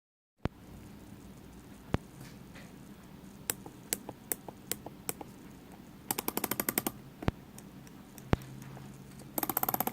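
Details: Tag Heuer Aquaracer Calibre 5 watch: sharp, isolated clicks and quick runs of ratchet clicks, heard only when the bezel is pressed at the 30 mark and nowhere else.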